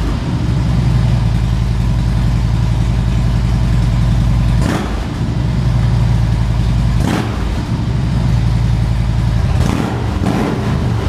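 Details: 2013 Harley-Davidson Ultra Classic FLHTCU, a salvage-auction bike being rebuilt: a deep, lumpy V-twin idle with three quick throttle blips that climb cleanly and drop back smoothly, a healthy strong-running engine.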